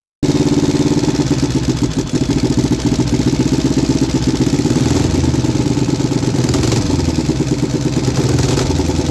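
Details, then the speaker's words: 3D-printed inline two-cylinder four-stroke engine after the backwards PCV one-way valve was fixed and the carbs synced: a steady, lumpy twin beat, uneven like a V-twin, that picks up cleanly on the throttle. Normal running and revving. "So let's try to start the engine and actually rev it. I feel like it kinda sounds like a V-twin."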